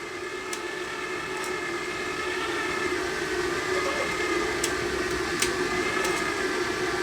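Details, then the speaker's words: Gasless flux-core MIG welder wire feed motor gives a steady whine at an even pitch with no stutter after tension adjustment; the wire drives through the gun smoothly without slipping. "we're not slipping we're driving the wire through all the time I can feel it coming through the gun"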